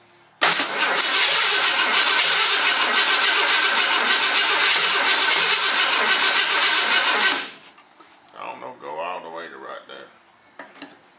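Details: 1969 Mercury Cyclone after engine rebuild, first start attempt while ignition timing adjusted: about seven seconds of even, rapid starter cranking, roughly 3.5 beats a second, no catch; cranks but won't fire, cause unconfirmed.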